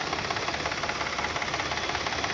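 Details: 2012 Chevy Impala: quick, regular light ticking over a quiet idle, also heard when starting or accelerating, from the engine bay; began after a battery replacement at a mechanic, cause unknown.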